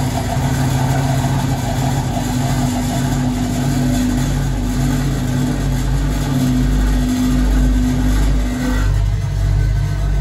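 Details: Vintage Hotpoint 1012 spin dryer spinning a damp laundry batch with the mat on: a steady low motor hum and whirr, even throughout with no knocks or rubbing; a follow-up 1600 washer spin extracted barely any more water, showing the spinner works well.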